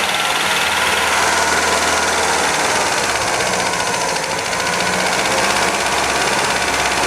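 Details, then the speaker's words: 1977 MGB off the road for many years, first run with about 60 psi oil pressure; loud, uneven idle with a busy metallic top-end rattle; rough running from massively over-advanced timing, with tappets needing adjustment. "she's tapity rattle we can adjust the tappets and she's running roughly because the timing isn't as it should be of it's massively Advanced to try and get it all sorted"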